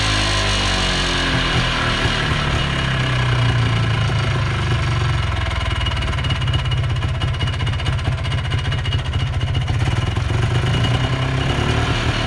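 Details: 1980s Polaris 250cc two-stroke ATV revived after years sitting, on fresh premix after tank cleaning, airbox off: raspy buzz steady and strong, clean throttle response, no misfire or knock; runs good, carb may need a small tweak.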